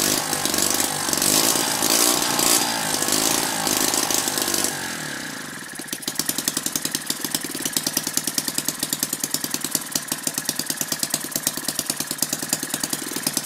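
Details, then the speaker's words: Lynx 15 engine on two-stroke mixture, after the fuel pickup fix, starting easily with raised compression and smoking the room. After a short noisy start it settles into quick, crisp, evenly spaced firing at a steady speed; normal running. "just filling the room out with smoke now cuz running it on two stroke mixture can't complain about the way it starts now"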